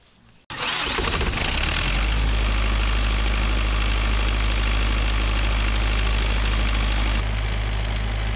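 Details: Perkins naturally aspirated diesel 20 kVA generator set with Leroy Somer alternator, bi-fuel (diesel plus recycled vegetable oil), being serviced before a festival. It cranks, catches at once and settles into a steady, even low drone with no misses or knocks: normal running.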